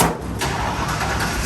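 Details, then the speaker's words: Custom Ford Ranger with a 5.0 V8, an exhaust header joint leaking: strong, even cranking that catches and settles into a steady low engine run: starter sounds good, normal cranking. "Oh, that starter sounds good."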